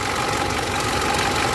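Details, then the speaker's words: Mitsubishi L200 Triton 3.2 diesel, automatic, about 197,000–200,000 km, idling: fast metallic rattle over the clatter, strongest at the top of the engine, from a stretched timing chain; chain kit, guides and tensioner to be replaced. "Esse aqui é o barulho da corrente, beleza, galera? É só para mostrar para vocês aí como que é o barulho da corrente da Triton."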